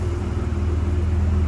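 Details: 1993 GMC Sonoma (S15), idling on a replacement distributor after a faulty new one; owner suspects its pickup: steady, even low rumble with no misses, knocks or stumbles; sounds settled and healthy.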